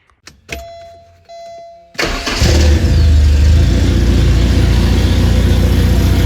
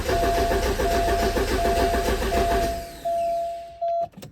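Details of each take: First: 1985 Porsche 944 four-cylinder after replacing a failed DME relay that caused a no-start: key-on chimes, then it catches quickly and holds a smooth, even idle with a steady low beat; runs right. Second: 1985 Porsche 944 that died while driving, crank no start, no tach bounce: steady starter cranking about 85 rpm with no firing, then a sustained electronic tone; testing DME speed sensor at terminals 8 and 27.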